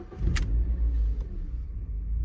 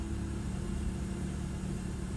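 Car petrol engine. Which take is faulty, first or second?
first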